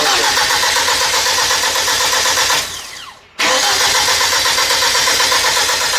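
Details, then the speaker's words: Freshly built Hyundai Genesis Coupe turbo engine just installed, fuel pump fuse pulled to crank without fuel and build oil pressure before first start: starter spins engine about four beats a second without firing, pauses, cranks again; normal priming crank. "We pulled the fuel pump fuse so it doesn't put fuel into the motor, so we can build oil pressure."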